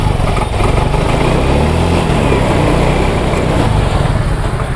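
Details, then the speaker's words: Yamaha Mio M3/Mio J, hard to start and dies when throttle is released; fuel pump pressure, plug, cap good, no MIL codes, injector already cleaned; idle chugs unevenly with dropped beats; misfire from faulty injector, fixed by replacement. "jadi motor dalam kondisi brebet dan tidak langsung Nah dari sekian ini yang sudah kita cek hanya tinggal noselnya saja yang belum kita cek"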